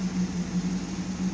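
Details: 1972 Pontiac Firebird Trans Am V8: deep, steady burble, even beat, no ticks or stumbles; owner thinks idle is a little low and might raise it. Normal idle.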